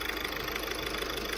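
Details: 2012 car with owner complaint of turbo noise: even idle with light rapid ticking and steady airy turbo hiss, judged normal turbo sound.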